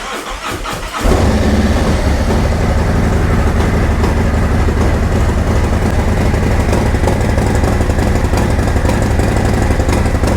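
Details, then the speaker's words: 2024 Harley-Davidson Road Glide (gen2 M8) on an ice-cold first start after a Zippers 534 cam change. The starter whirrs, then it catches into a loud, even, lumpy V-twin idle with no knocks or ticks, sucking a lot of air and with no leaks. "Oh, she sounds good. Noisy up here, sounds really good. Sucking a lot of air."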